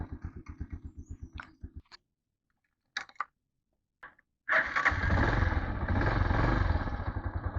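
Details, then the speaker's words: TMX motorcycle at 59,173 on the odometer, after setting valve clearance to 0.06 mm on both valves: a slow, even thumping idle with only a faint tick, much less tappet noise than before; idling normally. "start nakaano yung ano niya oh idle nakagitna binabaan ko lang syempre may lagipik 'yan pero hindi na siya kagaya nung dati"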